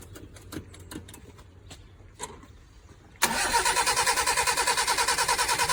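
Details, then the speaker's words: Abandoned Toyota Tercel SR5 wagon started on choke with extra fuel from gas bottle: few clicks, then lumpy pulsing run about three beats a second, only runs floored; no knocks heard, owner suspects timing way off. "That was floored, but it does run. I didn't hear any knocks. I'm thinking the timing is way off."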